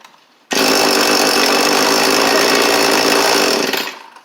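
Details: Cheap two-stroke edger/trimmer, restarted with the choke on: a sharp, high buzz holds even for about three seconds, then winds down cleanly; it fires and runs well.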